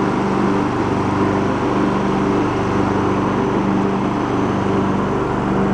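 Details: Abandoned Poulan Pro riding mower being revived, after choke adjustment (earlier popping, as if running rich, missing fuel filter): steady, even engine drone holds pitch with cutting deck engaged, no misses or popping; running healthy under load.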